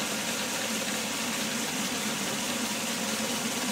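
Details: Homemade DIY belt sander prototype, belt tracking centered, no bearings yet: even, steady whooshing hiss with no knocks or rubbing surges; runs smoothly, though builder plans to add bearings to cut shaft resistance.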